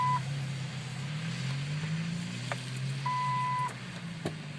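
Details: Jeep no-start while being jump-started, brake pressed: two clear high warning beeps, a short then a longer one, over a low engine-bay drone. Cause suspected, not confirmed.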